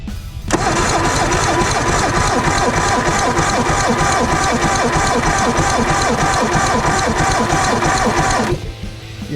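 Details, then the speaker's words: Circa 1989 Evinrude 150hp two-stroke outboard, compression test running: even sluggish cranking about three pulses a second, too slow for proper readings (about 90 psi); slow cranking. "that's just not enough that's not going to spin it up enough I think"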